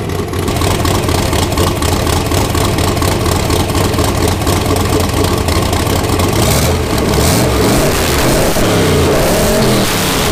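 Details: 331 ci small block Ford, AFR aluminum heads, Quicktime turbo kit with eBay 7875 turbo, first run of muffler test before fitting exhaust; loud choppy cam idle rising into strong even revs, no ticking or leak hiss. Healthy.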